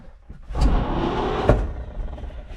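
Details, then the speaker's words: 1951 Chevy pickup with 6-volt points ignition, abandoned 40 years in a farm field, first crank attempt via foot-pedal starter: starter spins the engine freely at an even rhythm, no binding or clunks; engine turns over, not seized. "It just rolled over. Did it just roll over? That rolled over nice."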